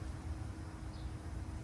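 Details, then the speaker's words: 2020+ Ford F-350 Power Stroke diesel after installing an SPE Motorsports fuel filtration system, about the 15th key-on prime before first start: only a faint, even pump hum with no gurgling as the filters fill; normal priming. "silent you can hear it but it's like that hump from a fuel pump"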